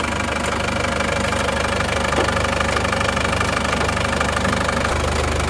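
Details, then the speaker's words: Isuzu Panther diesel after an engine rebuild with new rings, seals and liners, just started and still cold: even, steady, smooth clatter at idle with no knocks or misses, smoke from leftover assembly oil; normal diesel idle. "suaranya halus ya baru turun mesin ganti ring seer dan balik laner ya"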